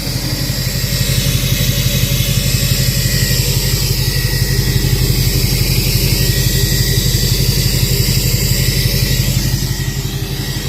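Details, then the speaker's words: 2006 Chevy Silverado LBZ Duramax diesel, DSP5 tune, just after installing new 5-in exhaust with flow-through muffler: steady even idle, deep regular beat about three per second, no ticking or puffing at joints; checked, no exhaust leaks; normal idle. "All right, guys. Truck is running. Got the new 5-in exhaust. Checked for leaks, there's no leaks at all."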